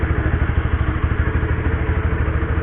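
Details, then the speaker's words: Honda CB150R idling in first gear, mic close to the drive chain after a rubber-band fix to quiet it: steady even thumping, no chain rattle or slap; chain sounds normal. "udah gua dekatin nih, kalau telinga gua nggak dengar suara apa-apa selain suara mesin."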